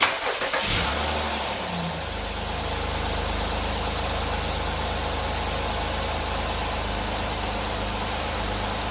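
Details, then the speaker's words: Car that wouldn't start due to a loose battery terminal on a new battery, fixed with a battery top-post lead shim: starter cranks briefly, engine catches quickly and settles into smooth steady idle; starts normally with full battery power. "all right we have it working uh this is no problem to start the vehicle the vehicle is getting full power from the battery no problem at all"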